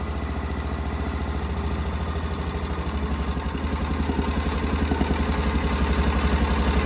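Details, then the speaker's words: 1999 or 2000 Kawasaki Mule 550 after a decade in a barn and 2-3 years without running, warming up on choke after its first start. Steady, even single-cylinder idle, slowly picking up, running smooth and healthy. "That sounds good. That sounds really good. Let's see if we can take it off choke yet."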